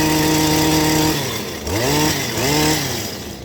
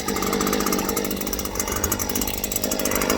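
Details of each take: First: Stihl hedge trimmer after fitting a new NGK spark plug: the two-stroke winds up to a high, clean scream, drops, then revs hard twice more, crisp and strong; the sluggishness is cured. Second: Stihl two-stroke hedge trimmer, sluggish; runs ragged and rattly with an uneven choked buzz, never clearing out; fits a clogged spark arrestor screen.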